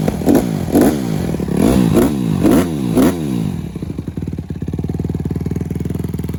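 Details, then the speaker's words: Honda CRF150R single-cylinder after valve re-shim from about 1.2 mm to 1.4 and 1.45 mm shims; sharp repeated throttle blips then steady popping idle, previous rattle gone even at full throttle, good compression. "so i went up to 1.4 and a 1.45 and this thing sounds amazing now no more rattling doesn't matter how hard you hold it"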